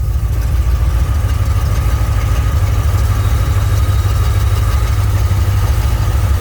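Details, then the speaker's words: 1967 Mercury Cougar power steering after repairing the broken power-assist ram bracket, engine idling while the wheel is turned left and right: faint even whir, no groan or knocking; steering sounds healthy. "That sounds good right there, see?"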